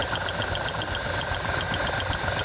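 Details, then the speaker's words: 1971 Jeepster Commando with Dauntless V6 at idle: a light, sharp tick about four or five times a second, newly appearing once spark was restored to a cylinder; pulling that plug wire while running made no change, cause unknown. "hear the ticking yeah that's new now that it's got sparked to that cylinder it's ticking that's not good I hear ticking in the engine oh no I hear that"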